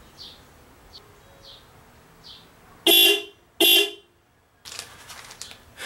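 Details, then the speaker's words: 1991 Volkswagen Vanagon factory horn circuit, before adding a horn relay: two short dual-tone honks, a low note under a sharp high one, sounding thin; owner attributes it to the factory circuit; weak horn. "certainly not bad but definitely not correct let me show you what the horn sounds like in the Mercedes"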